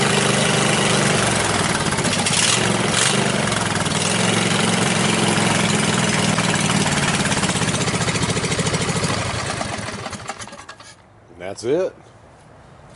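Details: Riding mower single-cylinder engine after safety-switch bypass and push-start button install: fires and runs with a steady, even chuff until shut off near the end, a healthy normal idle.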